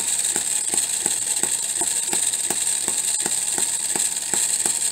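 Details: Homemade miniature 4-stroke hit-and-miss engine (half-inch stroke, bore slightly over half inch) at about 1500 rpm. Crisp, even light ticks over a hiss as it fires and coasts while the governor locks out the exhaust valve; normal hit-and-miss running.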